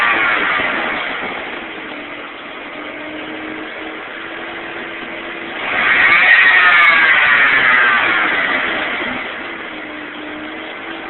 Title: Jeep 4.0L PS Pump Making Buzzing Sound